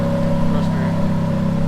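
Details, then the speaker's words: Ferrari F430 converted to manual, hard to engage gears: constant mid-pitched whine over steady engine in any gear with clutch out, speed dependent; absent in neutral or with clutch in, driveline cause unclear. "go into gear starts up the noise go in the neutral clutch out doesn't do it clutch in nothing clutch out"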